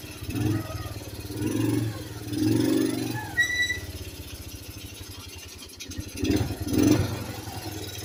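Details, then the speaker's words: Kawasaki KLT160 mini Prairie Dog ATV, revived after years sitting: short, clean throttle blips settling back to a quiet idle, no stumbling or backfire. Running really good. "Yeah, but it's running really good."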